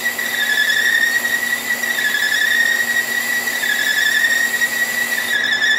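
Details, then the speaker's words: Staggered-tooth wheel cutter, resharpened with radiused corners, cutting keyways in marine shafting under power feed; steady high singing tone, no chatter, pitch difference possibly from arbor runout of a couple thousandths, even load per tooth, glossy keyway bottom: a normal cut. "as far as the pitch difference you hear but in between that you can hear get in here pretty much all load on each each tooth"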